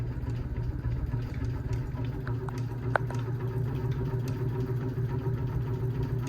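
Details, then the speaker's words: 52-inch unknown-brand bronze hugger ceiling fan on high speed: steady low hum with irregular ticks and rattles; loud buzzing and wobble, barely moves air; possibly an unbalanced flywheel. "I'm definitely taking this fan down. This is the loudest fan this is the loudest and possibly the wobbliest fan we own."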